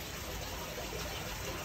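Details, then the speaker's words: Fluval FX6 canister filter outlet after restart following a water change, trapped air released with both valves open before plugging back in: smooth even rush of water with no spitting or gurgling, normal steady output flow restored. "now you can plug it back in and check out that output right back to normal that's how it should come out"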